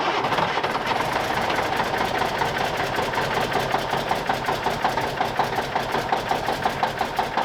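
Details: 1989 Kenworth K100E cab-over with a Cummins Big CAM IV diesel, cold start at -6 °C, not plugged in, after a brief pre-crank: even clatter sharpens as it settles, a healthy start, a little smoky.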